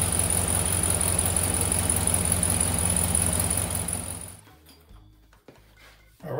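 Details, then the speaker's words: VW Sunbug air-cooled flat-four after engine reinstalled, with rebuilt transmission and flywheel-interfering tips ground off: steady, even idle with a regular low beat and no knocks or misses before shutdown; runs as well as before removal, normal idle. "engine's back in sounds good it's running just as well as it did when it came out"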